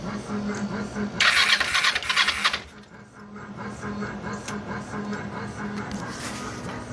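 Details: 2005 Kawasaki Ninja EX500R after new starter solenoid and new battery, before carburetor jet work: short burst of quick starter whirring, about four turns a second, never catches; cranks but won't start, cause unconfirmed.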